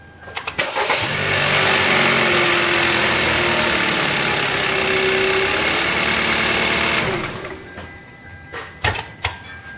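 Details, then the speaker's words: 2013 Kia Rio petrol engine cranked with the alternator belt removed to isolate a rattle: starts and idles evenly with no rattle; the noise came from the alternator, which was replaced. "alright that noise is gone"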